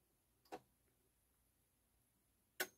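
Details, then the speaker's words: Realistic LAB-420 CEC-made turntable after repairing the auto-shutoff micro switch and lubricating the motor, tested with a seven-inch record. Two crisp mechanical clicks about two seconds apart, then quiet, as the tonearm returns and the motor shuts off. Normal auto return and shut-off. "a return and shut off yes so it looks like we fixed that we fixed the the arm not shutting off that's great"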